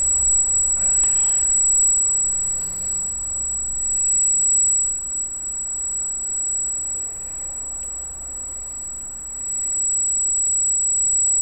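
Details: Freshly installed Arris CM2000 brushless gimbal holding a GoPro Hero with FPV cable offsetting the balance: steady piercing high-pitched whine over a quiet room, squealing like crazy; brushless gimbal motor whine the owner considers part of the setup.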